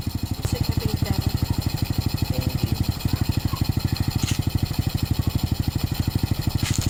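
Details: Motorcycle started after an oil change and refitting the filler cap: steady, evenly spaced exhaust thumps at a settled idle with no knocks or rattles. Normal, healthy single-cylinder idle.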